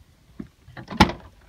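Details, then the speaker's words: Car door: a light lock click, the solid thump of the door shutting while locked, then at once a sharp clunk as the lock pops back open; owner suspects the lock or door panel needs replacing. "I shut the door when it's locked, and it unlocks."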